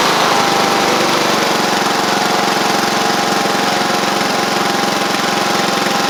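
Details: Sabre riding mower after repair (drive belt and blades replaced, a large oil pool cleaned up) gives a steady, even drone with no knocks or misses. Residual oil is burning off through the exhaust after earlier cold-start smoking. It runs smoothly and healthy.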